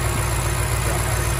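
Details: 2006 BMW X5 4.4-litre N62 V8, previously cranking with no start after being run almost dry, now idling smooth and even with no misses, knocks or hunting after fuel pump work; fuel pressure holds about 48 psi engine off.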